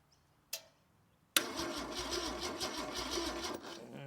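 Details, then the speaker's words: Holden red motor 173 ci (2.8 L) six, about 1971, from a Bedford CF van, unrun for years: starter spins steadily about three turns a second but never fires; still no spark, owner suspects a bad earth. "it's no spark still"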